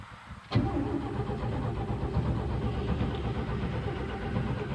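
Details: 1972 Chevrolet pickup V8 after sitting a long time unstarted, owner suspects fuel delivery or the fuel filter: starter turns it over in a steady low churn for several seconds but it never catches; cranks without starting.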